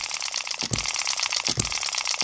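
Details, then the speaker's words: Microcosm M96 2cc model hit-and-miss engine after latch and spring tweaks; sharp firing thumps under 1 s apart over light valve-gear clatter, good long miss cycle, some spark not quite reaching the plug, runs fine. "it's a pretty good long miss cycle there... we are getting a little bit of um a little bit of spark um not quite getting to the spark plug but it seems to be all right, right now"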